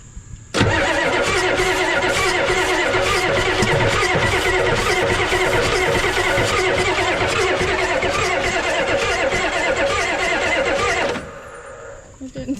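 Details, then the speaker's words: 1988 Ford rollback diesel truck, sat about ten years: starter cranks steadily with even compression pulses for about ten seconds but never fires; injector leaking badly. Turning over is a good sign, cause otherwise unknown. "Uh I mean it is turning over. That's a good sign"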